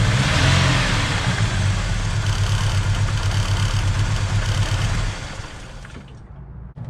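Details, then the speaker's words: 1986 Ford Mustang SVO turbo engine idling with a persistent misfire after all spark plugs were replaced; plug readings point to cylinder 1, with a possible short in patched fuel injector wiring suspected. "Nope, still got a miss. I'm not sure what's going on here."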